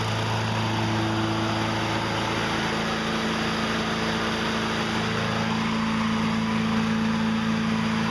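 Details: Toro 20074 electric-start push mower that spun over with no spark, after freeing the kill bracket for full range of motion: steady, even high-pitched drone with no misses or surging. Runs healthy after the fix.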